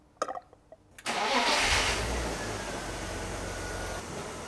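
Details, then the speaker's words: 1996 BMW E36 328i, M52 inline-six, 193k km, after oil pump service and VANOS replacement: few clicks, short crank, clean catch, settled quiet idle with no ticking; cold start sounds better than before, normal. "The engine sounds good. Nice and quiet, cold start. Actually a lot better than before, but I don't have that footage anymore."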